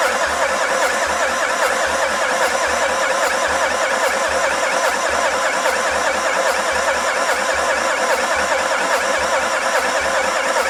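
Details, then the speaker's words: Renault Master van, non-runner: steady starter churning at just over one beat a second with no firing or catch. Cam movement and fuel are confirmed, with fuel at one injector, but the engine won't start. "We got fuel. Just it ain't having it at all, is it? Try again."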